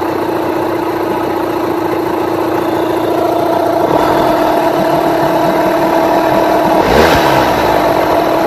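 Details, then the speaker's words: Rebuilt Yamaha 9.9/15hp outboard after ignition timing and carburettor mixture tuning: even, steady idle with a short rev blip that returns straight to idle without hanging or dipping, showing the motor now runs properly. "Also hear how it comes back and it doesn't it doesn't sit in an RPM and then drop or it doesn't go drop and then raise back up again slowly."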